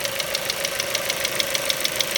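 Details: Ford Mondeo 4 2.0 Duratec HE, 89,000 km, LPG fitted at 70,000 km; crisp metallic tapping about six to seven times a second at idle, disappeared when revved to 7000 rpm; engine knock, not valves or swirl flaps, owner suspects gasoline injectors.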